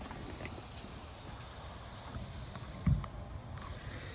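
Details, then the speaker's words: Car tire with a bolt in the tread, parked in the shed and nearly flat: steady, airy high hiss without a break over a quiet shed; air leaking from the puncture. "Anyway, I gotta get back in the shed before it goes completely flat. There it is, hissing away."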